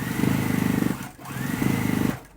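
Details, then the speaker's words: Sewing machine stitching fast, even seams on One Block Wonder quilt pieces with a dense buzzy rattle on top; the extension tray is loose and vibrating against the machine, not a usual machine noise. "My machine doesn't always make that noise. I'm rattling. Tray is rattling."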